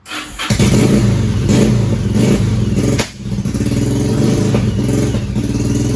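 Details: 2001 Yamaha 1100 motorcycle that starts but won't stay on, carburetors cleaned, spark plugs replaced: fires after a few seconds, settles into a steady even burble, dips briefly, then picks back up cleanly; running properly.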